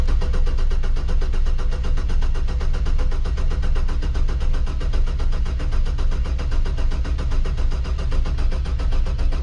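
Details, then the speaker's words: 2005 Chevrolet Trailblazer 4.2L after engine swap and new crankshaft position sensor; scanner shows rpm but zero injector pulse width, ignition circuit fault code: starter spins engine at even slow beat, never fires; cranks but no start. "¿Significa eso de que la computadora no está comandando los inyectores de una vez? ¿Puedo, digamos, deducir que es eso o no? Esto es lo que pasa cuando le doy a prender."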